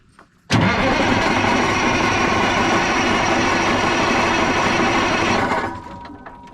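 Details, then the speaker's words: 1980 Peterbilt 359, Cat 3408 diesel, long-sitting: steady fast cranking with no firing at all, then winds down. No fuel at the return and it doesn't sound like it's pulling fuel; crank no start, no fuel delivery. "Is that hard to push or no? Find out here. Oh no. Same. Yeah, it don't sound like it's pulling fuel."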